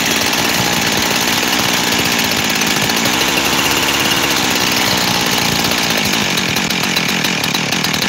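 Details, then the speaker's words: Freshly rebuilt 372 X-Torq saw idles high and raspy, revs surging and sagging. The base gasket was sealed with 1184 and seems fine; spraying the cover almost kills it, so the owner suspects a lean air leak at the cover. "I can almost kill it by spraying on that cover there. I think it's the cover. I do."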